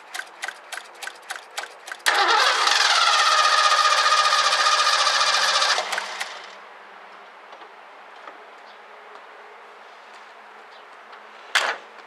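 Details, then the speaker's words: 1984 Ford Mustang GT350 barn find: even starter cranking, then it catches with a high, busy roar for about four seconds before fading out and stalling. Starting fluid used, owner suspects a fuel issue or non-working fuel pump and plans to check the fuel filter. "all right it's definitely just shutting off so I'm going to see about taking the fuel filter out"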